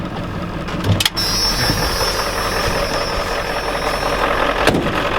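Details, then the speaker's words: Ford F-250/F-350 7.3L diesel, smoking and smelling of burning oil, with a bad water pump: loud clatter with an uneven, lumpy beat, engine shaking badly; rough running, possibly turbo-related, not confirmed. "Yeah, she's not running very good. Well, there you go. Can't really see it there for some reason. She's not running too good. She's really shaking bad."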